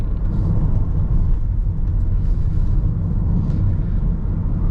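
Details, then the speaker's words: Toyota Innova Hycross Hybrid ZX(O) top variant while cruising: steady low droning hum under road rumble, no knocking or vibration. The hybrid gearbox drone is pronounced and somewhat disturbing, though cabin NVH is otherwise quiet. "But దీంట్లో minus ఏంది అంటే ఆ pronouncing ఆ gear box అనేది pronouncing గా ఉంటది. Vibration అని కాదు కానీ అది చాలా ఐ మీన్ కొంచెం డిస్టర్బింగ్ గా అలామింగ్ గా ఉంటుంది."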